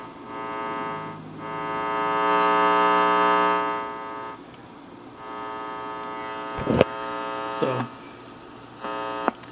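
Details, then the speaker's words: Heathkit T-4 signal tracer with its original paper capacitors, whose crackling had stopped: a steady low buzz with overtones that swells and fades. Residual mains hum, thought to have always been present. "you hear the buzz I think that was always present"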